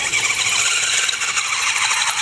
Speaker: you can hear it squeaking like crazy because the drive shaft is such an insane angle but it works